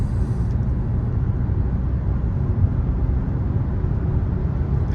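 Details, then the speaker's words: Kia Soul after replacing ignition coil number three for an intermittent misfire: steady, even low drone under light load in a higher gear with no stumble, on a smooth road; normal running under load. "Changing out coil number three seem to have done it. It uh most definitely seems to be running perfectly now."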